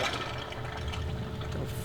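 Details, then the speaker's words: Project car with backfire and fire issues, right after a failed start and low on fuel: short watery gurgle and slosh, water pump burping air through the coolant suspected; coolant gurgle, unconfirmed. "fuck was that noise? I think it's your water pump burping. Yeah, it could have been the coolant."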